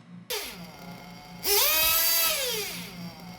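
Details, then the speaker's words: 1/8 RC nitro engine after leaning the high-speed needle and reducing the idle gap: a high screaming whine climbs sharply and holds higher, with rpm rising and running better. "so you can hear that rpm is getting higher it's getting better"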